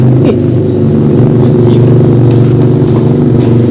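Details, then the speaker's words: Honda Beat Street scooter (new battery, starter only clicked) seized from dry oil; fresh oil added and engine revved: harsh, uneven drone with irregular knocking, rough until the new oil circulates and it frees up. "terus Biarin sampai olina nanti maksudnya sampai olina naik nih G nah Biarin terus Nah nanti lama-lama biasanya langsung suara biasanya ada yang langsung sembuh nah sembuh tuh olinya masalahnya udah naik ya tadi kan masih kering ini"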